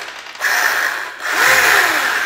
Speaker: Funziona tutto, e la cosa più importante è la risposta, cioè appena io vado ad accelerare la macchina reagisce,